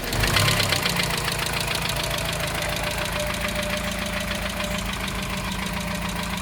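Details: 1987 Dacia 1310 four-cylinder, cold start after two days, choke a quarter out: steady idle with a light rapid knock on the engine beat, unchanged after bearing change; owner says it fades when warm; source unknown.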